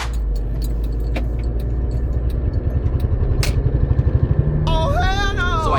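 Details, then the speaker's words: Audi A4 Quattro driveshaft; low droning rumble with an uneven throbbing beat building under road noise, cabin shaking at a certain RPM range; OEM center support bearing (rubber carrier mount) broken, letting the shaft whip; owner not yet 100% sure, replacing with JXB Performance carrier. "what that is is the center support bearing, which is basically a rubber mount that holds the center of the drive shaft in place and stops it from whipping around."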